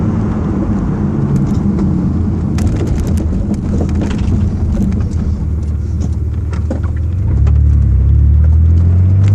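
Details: Mitsubishi 3000GT engine idling with scattered irregular clicks and crackles, then revs rise near the end; weird noise, cause not pinned down.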